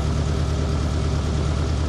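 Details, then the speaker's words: Idle on a ZAZ Tavria/Slavuta engine after cleaning the knock sensor and reconnecting its plug, which had caused rough misfiring and a Check Engine light: steady, even low idle, no knocks or misses; no errors, running normally. "Mar is féidir leat a fheiceáil oibríonn gach rud gan fadhbanna."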